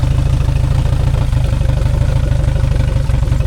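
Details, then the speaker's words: 2002 Yamaha 90 hp outboard that sat 2 years, after carburetor rebuild, idling at 800 rpm: steady idle with an occasional hiccup in the firing rhythm; suspects a carb screw needs adjusting. "So, I got it idling to spec right now. It's a 800, but there's a little You can hear that there's a little hiccup. So, I got to investigate."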